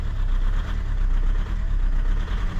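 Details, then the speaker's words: Audi/VW group 130 hp TDI diesel that doesn't start first time in the morning; heavy, uneven shaking rumble at idle, very noisy; mechanic believes 99% an injector fault, EGR and its solenoid valve to be removed; rough diesel idle. "deuxième coup ça marche mais ça fait trop de bruit c'est horrible"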